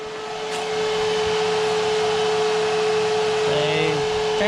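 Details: Mazda project car during electrics testing: the 11-inch electric fan, which had blown a 10 A fuse and is now on a 30 A fuse, gives a steady, even whir at one pitch with no rattle or labouring; it runs properly.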